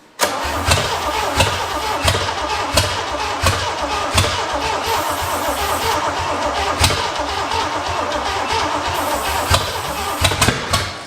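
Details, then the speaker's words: 1968/1969 Pontiac GTO Judge V8 barn find, long cranking with brake cleaner as starting aid and the engine not pre-oiled. Scattered pops come from one or two cylinders but it never catches. Rings likely dry; not starting yet. "Come on, you big son of a [ __ ] You can do it. Hit it. She's got two trying it seems like."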